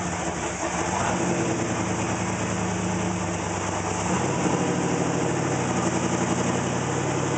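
Engine idles unevenly, the beat stumbling and the pitch shifting partway through instead of holding steady; a rough idle, cause unclear.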